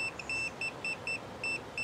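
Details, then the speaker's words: Multimeter continuity check before tracing starter wiring on a Land Rover 90 with 2.5 naturally aspirated diesel that won't start: sharp high beeps, about four a second, as red and black leads short together; tester working fine. "whenever I do any test work with a multimeter I always if I'm gonna use the ringer to listen to the for the continuity I always test it first just to make sure your battery is good and listen this is shorting the red and the black wires together"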